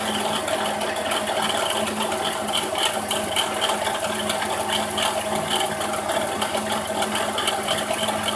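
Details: 2006 Dodge Grand Caravan SXT 3.8L idling: a steady low whir with a fast, dry rattle from a bad alternator bearing.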